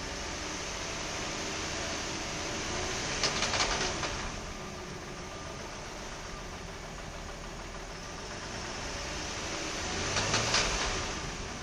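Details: 2003 Nissan 300GT petrol engine, warm, revved twice around 2,000 rpm, with a rapid metallic knock or slap rising through each rev over a hissy running sound; the knock occurs only when the engine is warm.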